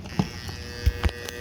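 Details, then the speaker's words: Ryobi pressure washer power cord GFCI plug: steady electrical buzz and low hum when plugged in, washer won't turn on, test button doesn't trip; GFCI suspected faulty, cable shows no fraying. "when i plug this thing in it makes a pretty weird noise and it sounds like what it is is this gfci circuit has gone bad"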